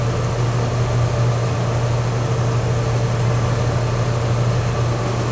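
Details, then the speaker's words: Supreme 1200T mixer wagon driven by a 7720 tractor, after installing kicker plates on the mixing screws: steady tractor drone with an even mixer hum and no knocking or scraping. Nothing is hitting; running normally. "Alright, it's making its way around there. It's not hitting nowhere."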